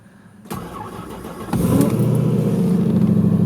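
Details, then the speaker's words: Ford Focus with about 171,000 miles, cold-weather start: roughly a second of sluggish cranking before it catches and settles into idle; battery weakened by the cold is dragging the starter. "batteries not really liking the cold temperature all too much"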